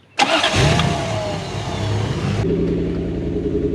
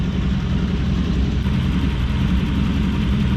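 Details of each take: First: Toyota LN106 Hilux with 1UZ V8 swap and automatic, after resetting the idle stepper motor (bearings suspected noisy, not working properly): brief crank, then steady even idle, no hunting; idle now comes up properly. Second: Toyota LN106 Hilux with 1UZ-FE V8 swap and automatic: steady idle with uneven lumpy beat, possible misfire; plugs found standard, one heat range too cold, iridiums suggested.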